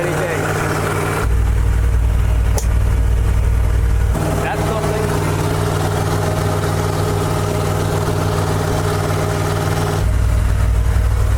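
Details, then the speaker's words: $1,400 auction dump truck started using the choke: a deep, steady low rumble with an even beat and no knocks or stumbles. It is idling normally and running good. "So, we got it running. It's running good."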